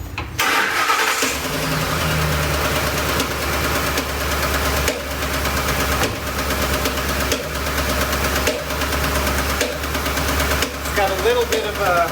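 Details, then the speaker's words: V8 engine, noise heard at top of engine: after start it settles into rough idle with a sharp popcorn-like pop about once a second; misfire from low compression in one cylinder. "of a rough idle, but what you hear is that, the popping noise. Sounds like popcorn popping, but just once in a while."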